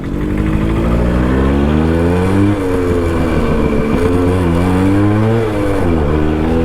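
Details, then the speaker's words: Suzuki Max100 two-stroke petrol motorcycle in a mileage test: under steady throttle the engine wavers and sags twice, slight misfiring beginning as fuel runs out. "ചെറിയ രീതിയിൽ missing വരുന്നുണ്ട്."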